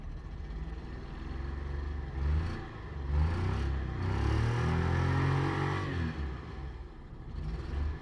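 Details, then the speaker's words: Cold engine after pressure washing, water on the sensor: revs blipped rise unevenly with an irregular stumble; slight misfire from water after engine wash, expected to clear as it dries and warms. "अभी आप देखेंगे ठीक थोड़ी सी missing करेगी क्योंकि अभी ठंडी है"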